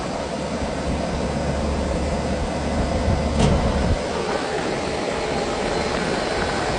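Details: Condenser fan running after its weak capacitor was replaced, with a new compressor fitted. It comes up to speed with a steady, even whoosh and low hum, with no slow start or drag. The fan is running normally.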